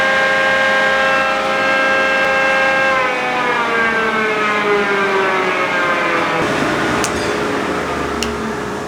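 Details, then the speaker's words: John Deere Green F12 090 hydraulic motor bench-run without load after teardown found no damage or abnormal wear and backlash measured 1.5–1.75, testing a customer-reported squeal: clean steady whine dropping smoothly as it slows, no squeal; normal. "I didn't hear any squeal. No. Are Do you think we're running it long enough?"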